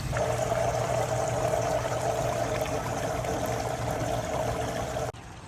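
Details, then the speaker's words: Pondless waterfall submersible pump: gurgling, splashing rush over a low hum as it sucks air with the basin out of water due to a leak. "So I can hear the pump making noise, so I know it's out of water."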